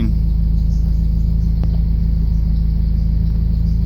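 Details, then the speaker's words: Honda F20B engine in a Brough Performance H2B kit, idling cold at about 900 rpm with a steady, even pulse; idle rises once warm. The owner notes a pulley squeak from grinding debris and leaking crank seals. "about 900 which is okay with me it goes up after it warms up a little bit I mean it's still cold and I need gas so yeah"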